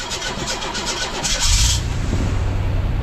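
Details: 1982 GMC S-15 pickup, after refitting the starter with a second bolt and no shims: brief even cranking, then the engine catches into a steady low rumble with no starter grinding. Fixed.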